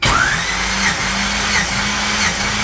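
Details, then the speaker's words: Compression test cranking on an 80 Trans Am's Gen 1 small-block Chevy with a gauge in the spark plug hole, turned over 5 times without firing; the starter whir dips about every 0.7 s. Cylinders read 170, below the earlier 180–190; more blow-by suspected. "I just turned it over 5 times. You'll hear it 5 times."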